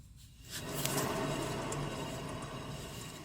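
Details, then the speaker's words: 2013 Subaru XV Crosstrek, about 119,000 miles: rough, gritty heavy grinding with a low hum from a spinning raised rear wheel; worn wheel bearing that will cause loud humming at highway speeds. "this is heavy heavy grinding and that at the highway speeds will cause real real loud humming from the back"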